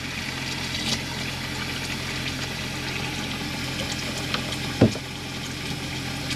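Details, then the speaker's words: Chausson Welcome 718XLB (2017) motorhome water pump running under flowing tap water: low, constant pump hum with no surging or rattling; pump working normally and water getting hot, with steam visible. "And then this is just showing that your water pump is working and your water is getting hot"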